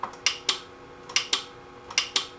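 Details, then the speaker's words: Music & Sound N350 intercom master station, reportedly lightning-damaged, with no display or radio sound: the intercom buttons give sharp paired relay clicks, three pairs in under three seconds, so the relays switch cleanly and normally; a slight speaker and transformer hum is noted afterward. "another relay clicks so that's good"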